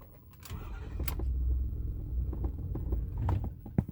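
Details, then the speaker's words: 2008 Ford F450 6.4 Power Stroke diesel with intermittent no-start and no throttle response, worse cold but also hot, fuel filters replaced: low uneven rumble sagging with scattered knocks, semi-running near stall; cause unclear. "it'll run like this just sort of it's semi-running and sometimes i can cycle this cycle the key"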